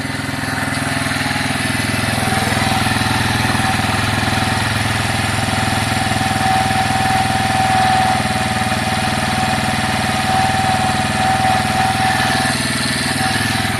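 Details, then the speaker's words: Piaggio Fly 125 scooter, warming up after the air-fuel screw was set from 1.5 to 2.5 turns out, choke off: an even, steady idle with a light, regular beat and no misses or hunting; it runs much happier. "yeah that's fine that seems much much better to me it's much happier"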